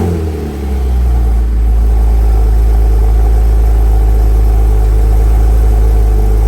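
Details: 2006 Porsche Cayman S 987.1 after new spark plugs and ignition coils, started after sitting almost a week: strong even exhaust note with clean pickup when revved, no misses, hardly any smoke; runs well.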